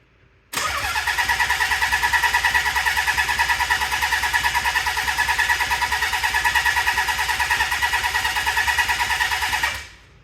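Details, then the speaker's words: Nissan 300ZX twin turbo manual swap, cranking with a different ECU chip after suspected fried ECU: about three pulses a second for nine seconds, never fires; codes showed no signal from the crank angle sensor. "we ran the codes right after this and we weren't getting any signal from the cam sensor the crank angle sensor um whatever you want to call it Cass"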